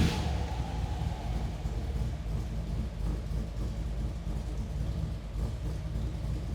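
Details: 1963 Chevrolet Impala SS, 307 cid small-block V8, start-up with hood open: low, even rumble settling after start-up, no tapping or misfire; engine runs healthy.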